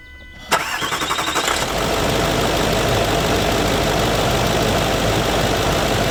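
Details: Range Rover L322 TDV8 diesel with earlier intermittent starting issues, first start after fitting a new (non-AGM) battery: a brief one-second crank catches cleanly and settles into a smooth, even idle. Normal engine start.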